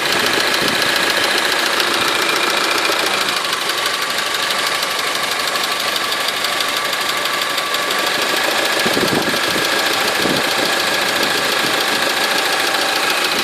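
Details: Honda 4D engine at idle: persistent rapid metallic tapping about three to four per second over a busy engine note; engine knock, source unknown.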